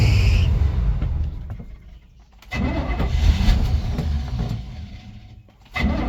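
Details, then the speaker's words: 1983 square-body Chevy wrecker, V8 said to be a 350 (owner thought a 305), carburetor believed to need rebuilding, electric choke wide open. Cranks and catches cleanly, two strong throttle blips rise and settle evenly. Normal start and rev. "Don't that sound good?"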